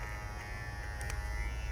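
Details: Babyliss Pro X T 45 hair clipper with its guard attachment, giving a steady, even low buzz with no rattle riding on it; normal running with a good guard fit.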